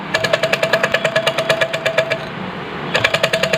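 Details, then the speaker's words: Sewing machine turned by hand: sharp metallic clack each turn, about eight a second, pausing and resuming with crank, from a worn shuttle hook (latto) rattling in its race; loud noise, worse on treadle; worn shuttle hook. "यहां पे ये कुंडी है लट्टू है खराब हो चुका है जिसकी वजह से मशीन बहुत ज्यादा आवाज़ कर रही है तो सबसे पहले यहां पे इस मशीन को हम चलते हैं और ये इसका आवाज़ सुनिए"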